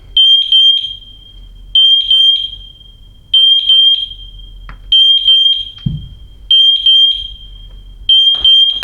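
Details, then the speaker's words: MatElec wireless smoke alarm: shrill three-beep bursts repeating about every 1.5 seconds, still sounding after the smoke has cleared, unlike the hard-wired units, which stop; needs the button pressed to silence. "they do all sorts of strange things like that every other alarm if you cleared the smoke it would stop St them all but for some reason that one a little bit different"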